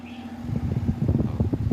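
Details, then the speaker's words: Electric fan with weak airflow, after replacing the faulty running capacitor, tested on speed 1 with back cover off; steady strong whoosh with even buffeting, no hum or rattle. Normal fan operation. "Malakas na yung hangin niya. Number 1 pa lang yan. Di katulad kanina yung ikot niya ang hina."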